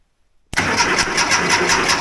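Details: 1982 air-cooled VW Vanagon Westfalia under restoration, coil unhooked, cranked via a switch with key off; starter spins in a steady quick rhythm but never catches. No start: no fuel because the fuel pump ground wire is disconnected.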